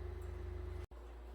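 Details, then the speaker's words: 2008 Ford Fusion AWD right rear wheel bearing, hub turned with CV shaft pulled out before replacement, gives a low rough pulsing rumble; the bearing is badly worn. "now you can hear the wheel bearing how bad it is"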